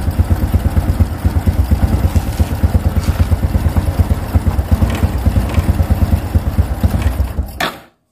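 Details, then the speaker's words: Honda Revo Absolute motorcycle single-cylinder after cam chain replacement, previously rough with tek-tek rattle: even, steady beat picking up cleanly with throttle, no rattle on top; engine now runs smooth. "Saya jamin ini sudah halus karena gantian sudah diganti ya penyakitnya sudah ketemu dan sudah diganti"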